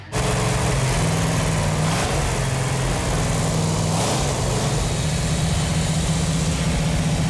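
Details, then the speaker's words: Numbers-matching 440 Six Pack V8 from a 1969½ Dodge Super Bee, running after the fuel lines were tightened, gives a deep, steady idle with an even low rumble and no knocks, misses or ticks. "it feels really good to hear that engine run yeah feels good that that engine sounds so good 446 packs are an awesome engine"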